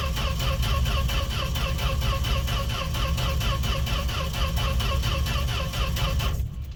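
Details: Fargo (Canadian Dodge D100) truck unstarted all winter, cold start without pumping gas pedal: starter churns steadily six seconds with no firing pulse; cranks but won't start.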